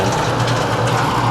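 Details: Porter Cable belt sander that had a loose, slipping belt: a steady, even hum and whir with no slapping or rubbing. Normal running.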